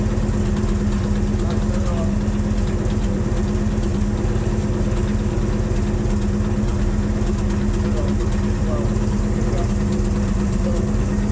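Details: C3 Corvette carbureted V8 at the shop, idling for a transmission fluid check; owner says it was running rich and smelling of gas: steady, even V8 idle, deep low rumble, no misses, knocks or hunting; normal idle.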